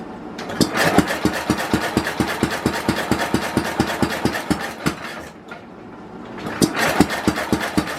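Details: 1967 Simplicity Landlord 2010 lawn tractor after a carburetor cleaning: steady starter cranking at about four beats a second, a pause, then more cranking, never catching. Ignition timing is way off, and a split cover gasket is also noticed.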